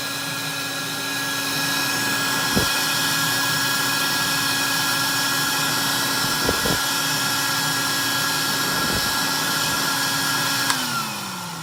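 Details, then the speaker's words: Electrolux model 89 "Elux O Matic" vacuum cleaner (1964), running after rebuild and service. Steady high whirring motor tone holding an even pitch, then winding down smoothly at the end: a healthy, normal-running motor. "You're going to definitely want to know, you know, what a good, healthy Electrolux actually sounds like."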